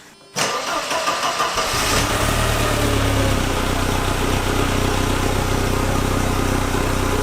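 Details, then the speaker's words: Mercedes 190E Evo 2 cold start, won't idle until warmed, owner unsure if old gas: catches after a short crank into a rough, droning cold idle with a loud, vibrating steady hum. "is probably gonna die in a little bit but made this really loud annoying noise man it's vibrating"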